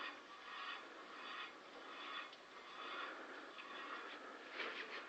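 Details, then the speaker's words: Opel Astra H wheel turned by hand forward and backward: soft uneven scraping rub about once per wheel turn, also heard when turned slowly; rubbing noise, owner unsure of cause. "Bueno, pues tengo un ruido en esta llanta, no sé qué es exactamente, pero es al girar. Ahí se oye claramente, para adelante como para atrás."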